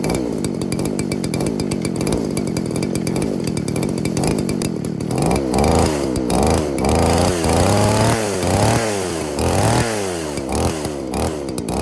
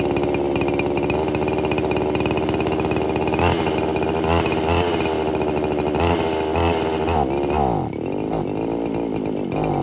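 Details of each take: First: Roughly 40cc two-stroke chainsaw on vodka, no oil, after field carb clean removing water and gunk: catches and runs, blipping up and down under throttle without stalling or sputtering. Normal running. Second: Roughly 40cc two-stroke chainsaw running on vodka with no oil, super lean; after brake cleaner sprayed in throat it revs high and unevenly, hunting, then sags. Surging and dying; too much air, not enough fuel, carb clean planned.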